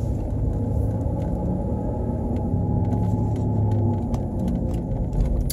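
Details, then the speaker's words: 2007 Pontiac Torrent driving on the road: deep, steady droning growl like noisy propellers from a very bad front wheel bearing, likely driver's side front left. "I said it'll sound like a growling sound or like I like to think of it as it sounds like you're an airplane getting ready to take off with very noisy propellers"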